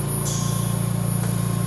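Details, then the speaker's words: VMUS-DG1 ozone generator (double quartz corona cell): loud, steady low buzz with fast even flutter and faint high whine. The pitch keeps rising with output, and it is normal. "Now at 100% ozone production, this will be the highest pitch buzzing noise that we'll hear from the VMUS-DG1."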